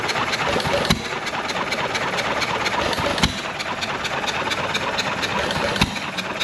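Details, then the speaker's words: John Deere 1.5 hp gas engine revived after sitting for years, with low compression, suspected ring blow-by. Slow, loose firing beats every two to three seconds with coasting in between, typical hit-and-miss running, and only mild smoke; normal running. "honestly it's not smoking too bad at all that's that's a pretty reasonable amount of smoke especially for just being brought back to life after setting for God only knows how many"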